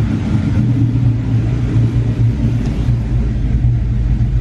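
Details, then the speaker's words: SN95 Mustang V8 converted to a carburetor, warm, idle screw turned down: steady even burble around 800–900 rpm with no misses; normal idle. "So the idle's definitely where I want it, right there around 900, 800 RPMs, but it is a little rich."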